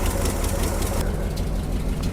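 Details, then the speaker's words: 1976 Jeep J10 401 V8, sat 29 years, now running on a new fuel filter, inline electric pump and boat tank, started and put in gear: rough idle with a sharp puffing tick as exhaust shoots out the failed passenger-side collector donut gasket. "It's got a huge exhaust leak on the passenger side, the collector donut. That little gasket in there is gone. So, it's just shooting out the side."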